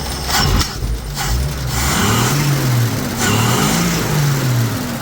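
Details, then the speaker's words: CJ5 Jeep revived after 12 years sitting in a field, carb already set: old six cranks, catches, runs rough with first pop back through the carburetor; owner suspects plugs and wires, timing seems right, plans plugs, wires, cap, rotor. "That is literally the first time since I got it running where it popped back through the carburetor. I think a lot of that has to do with plugs and wires."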